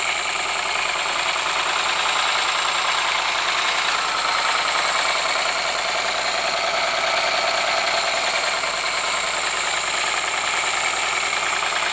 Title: Стук двигателя Ford Sierra